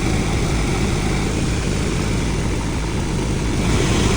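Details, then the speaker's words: BMW 523d air-conditioning noise, after repair with the part reinstalled: only an even low engine and blower rumble, no rattle or whine, instantly quiet; normal quiet operation. "好，没有声音了，很安静，很安静。瞬间安静，"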